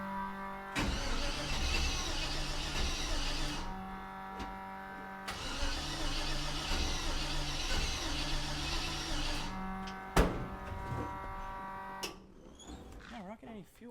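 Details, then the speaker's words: 1948 Mercury pickup, first start in 50+ years: starter cranks in long bursts with an even churning beat, about four turns a second, but never fires; owner suspects a gummed-up carburetor not passing fuel. "However, I think the car might be gummed up. So, we might have to just take the top part of it off and uh see if anything is blocking the gas passageway."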